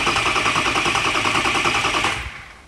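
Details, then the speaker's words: 2005 Ford F350 6.0L diesel with two new batteries (12.51 V) jumped from another vehicle: fast, even starter chatter spinning the engine strongly, then winding down; normal healthy cranking. "she cranks over good no surprise"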